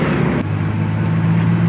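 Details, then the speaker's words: Maruti Omni driving after crown (differential) bearing replacement that cured a loud howl above 40 km/h: steady low drone with only wind and road rush, no gear whine or growl; normal differential, like factory original. "और यह देखिए कोई आवाज नहीं बिल्कुल भी जैसे original company से आती ना वो आवाज है गाड़ी की यह देखो इतनी प्यारी चल रही है"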